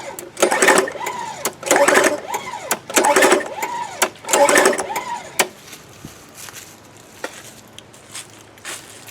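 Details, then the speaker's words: Free 1998-era Craftsman 22-inch mulching mower, 6.25 hp, that sat outside without a gas cap: with the plug pulled, four even pull-over bursts about 1.5 s apart, no binding; the suspected water in the cylinder cleared and it cranks smoothly. "Yeah, it looks like she's cranking hard. Just got something in the cylinder. Like water from not having that cap on it, would be my guess. Cranks over smooth now."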